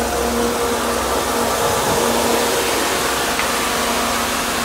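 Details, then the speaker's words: 1992 Mercedes 300E W124, M103 engine, intermittent overheating in heat waves; auxiliary cooling fan run at high speed by added manual switch, engine running; loud steady rushing airflow, faint even hum, no scraping or chatter; normal high-speed operation. "some people never hear their highspeed"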